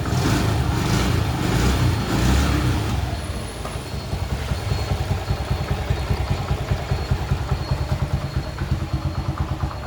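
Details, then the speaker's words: XL100 after a full engine rebuild, started with one kick: a brief rev, then a steady single-cylinder putter at an even beat with no knocks or rattles; normal idle. "അപ്പം ചാവി ഓണാക്കി വണ്ടി ഒറ്റയടിക്കുന്ന സ്റ്റാർട്ടാക്കി."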